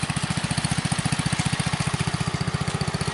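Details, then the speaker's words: Customised Bolens Husky 600 garden tractor with new oil seal, wheel weights removed, climbing a slope slightly above idle: even steady putter with uniform firing pulses, no misses or knocks; engine running healthy. "I took the wheel weights off. Let's see if it can make it up there without the real weight. It's a little bit above idle."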